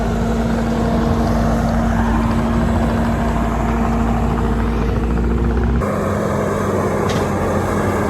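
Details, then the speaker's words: Bobcat T650 tracked loader with about 1,878 hours, after a track repair: a steady diesel drone with even track clatter and no squeal or grinding; the owner says it sounds like a new one. Normal track drive. "Sounds like a new one."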